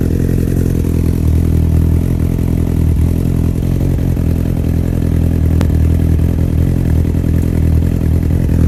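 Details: 2002 Yamaha R1 at idle: a fast, even ticking over a low, steady idle, traced to the EXUP exhaust valve mechanism.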